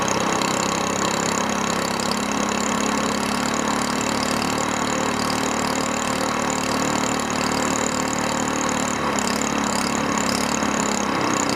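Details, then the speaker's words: SPS Longtail mud motor idling while still cold, just after an oil change to Royal Purple 10W30 synthetic with BestLine additive: a small single-cylinder engine puttering at a steady, even idle with no misses or knocks. Normal. "all right let's give it a run want to hear it it's still cold [Music]"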